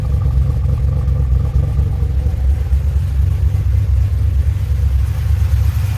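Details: 2007 GXP with Sloppy Stage 3 cam, VATS and DOD deleted via HP Tuners, first start-up idle after retightening loose front rockers: deep choppy loping big-cam V8 idle, no popping or ticking; popping confirmed caused by loose rockers, now fixed.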